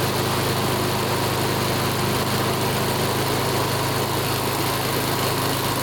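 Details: Older Honda Harmony mower after full tune-up (carb, valve lash, ignition, oil), full throttle: steady even single-cylinder drone at constant speed, no surging; measured 1910–1920 rpm, judged perfect, normal.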